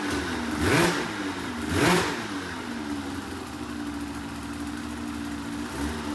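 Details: 2004 RMK 800 two-stroke sled with SOP exhaust, Boyesen reeds, one cylinder at 120 psi compression; two crisp throttle blips dropping back to a clean steady idle; sounds healthy.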